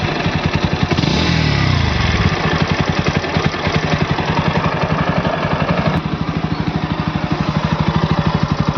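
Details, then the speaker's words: Bajaj Pulsar NS160 idling, compared with another NS160 owner suspected had a heavy sound: even regular thumping beat, no knocks or irregular clatter; both sound the same, the rumble judged normal phone-recording character. "अगर इस हिसाब से देखने जाऊ ना तो दोनों तरफ दोनों आवाजें सेम टू सेम ही लग रही है जो गड़ गड़ गड़ गड़ की बज रही है वो मतलब फोन रिकॉर्ड कर रहा है इस चीज को"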